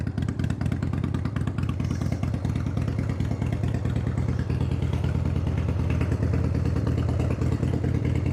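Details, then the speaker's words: 1993 Harley-Davidson FXDWG Dyna Wide Glide Evo after carb cleaning, started for road test: loud loping V-twin beat, even firing, no misses, clatter or hesitation; sounds real good. "Fire it up and see how it goes. Sounds good. Sounds real good."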